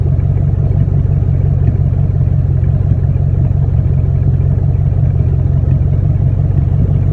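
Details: Random misfire on a 1999-04 Mustang GT V8 at idle: deep, uneven rumble with occasional stumbles. Louder in person, and worse when it's hot out and the engine isn't fully warmed up.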